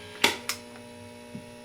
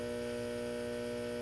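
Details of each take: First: Late-1965 Epiphone EA-32RVT Comet tube amp with reverb tank grounded to center tap, reverb on at full volume: only a faint steady low hum under handling clicks, barely different from reverb off; noise level normal after grounding fix. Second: Late-1965 Epiphone EA-32RVT Comet tube guitar amp idling with volume and reverb knobs at 10 but reverb switched off: steady low buzzing hum, no playing, noise blamed on poor grounding layout (output-tube bias parts grounded at power transformer center tap).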